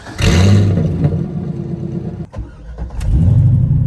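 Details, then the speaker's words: C5 Corvette with running problems started after new spark plugs; cranks, catches quickly and settles to a steady even idle with no misses or knocks, sounding normal and smoother than before. "lo and behold it sounded actually pretty normal but we wouldn't know for sure till we take it for a drive"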